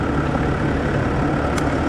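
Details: 2010 Land Rover Discovery 4 3.0 V6 diesel idling after an alternator replacement, now charging at 14.5 V: steady, even low rumble with no knocks, ticks or whine, a healthy idle.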